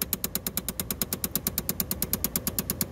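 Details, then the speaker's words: 2011 Chevrolet Impala: sharp, even clicks about three per second from the blend door actuator behind the lowered glove compartment, skipping on stripped gear teeth; a known failure, and the fix is replacing the actuator. "that's definitely the one that's clicking there's not really any need to do a lot of Diagnostics on these they have issues severe issues with those"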